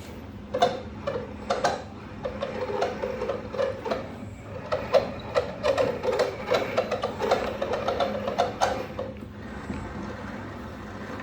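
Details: Old Town PDL pedal drive (2017): rhythmic squeaks about twice a second, one on each pedal stroke, in a quiet room; the pedal drive squeaks loudly.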